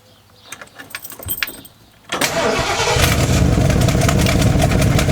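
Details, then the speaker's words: Old camper engine starting after about two seconds of cranking, then running with an uneven, loping beat. The owner thinks an exhaust leak is causing it; a clogged fuel filter later caused a breakdown. "you hear the gas i'm thinking it's the uh exhaust leak that's screwing it up"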